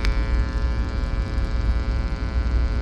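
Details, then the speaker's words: Tube amp tone-stack board resting in a slightly shielded enclosure: constant buzzy mains hum with higher overtones, slightly quieter; touching ground lowers the hum a bit more; hum pickup from poor shielding. "and if you can tell it's the tiniest bit quieter now i can touch the ground and hear the hum go down a little bit more"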